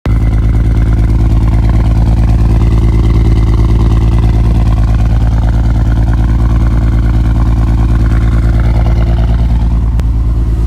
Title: Ford Falcon BA MKII XR6 Turbo (Barra) Hectic Misfire (Two Coils Gone, Replaced After)